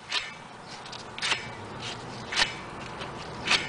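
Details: BMW E60 5 Series front wheel hub removed for bearing replacement, spun slowly by hand: dry rasping scrape about once a second in a quiet room, showing a dry, rough wheel bearing.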